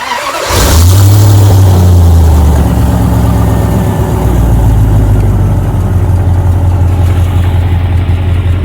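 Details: Jeep with a salvage-yard engine, after replacing the ignition coils, no powertrain codes: short crank, quick catch with a rev flare, then an even idle; intake air reads 68 degrees. Normal start.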